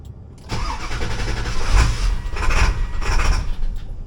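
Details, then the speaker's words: 7.3 Powerstroke diesel, next-morning cold start at 84°F: catches after short crank then idles lumpy and uneven, surging in pulses; rough cold start, owner suspects the IPR, unconfirmed. "oh that is not healthy I'm not Bueno"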